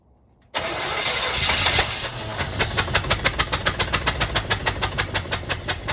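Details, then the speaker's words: 1965 Cadillac hearse, seized from sitting for years, first fire-up with the distributor wired straight to the battery and a little shot of something: catches after cranking and runs with an uneven, loping beat of about 3.5 pops a second; rough running. "well guys i know that's not exactly what we hoped for and it doesn't sound great but at least it fired up tonight"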